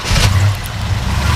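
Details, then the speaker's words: 1968 GMC 2500 Custom farm truck, 396 big-block V8 with fresh tune-up, new motor mounts and gear-drive starter, revved in place: deep, even rumble swelling smoothly under throttle with no knocks or misses, runs smooth and sounds healthy; normal idle and rev. "you know, it sounds really good. Runs pretty smooth. Rev it up a little bit."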